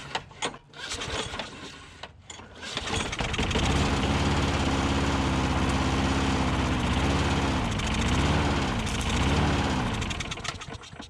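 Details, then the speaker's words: Older Troy Bilt push mower with dry-rotted fuel lines, suspected clogged main jet in carburetor bowl bolt: a few pulls, then catches on carb spray and runs with surging speed, almost running on its own gas; fuel starvation, runs only on starting fluid. "almost sounded like it wanted to run on its own gas there for a minute"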